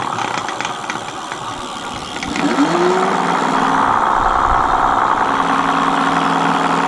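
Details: Mate X 20x4 fat-tyre e-bike hub motor on PAS4 after packing its gears with Vaseline: spins up into a steady whirring gear whine holding pitch; quieter with more grease but internal planetary gears still noisy.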